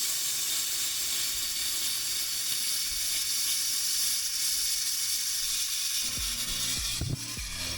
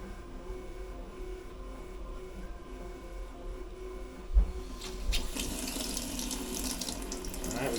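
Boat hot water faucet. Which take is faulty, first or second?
first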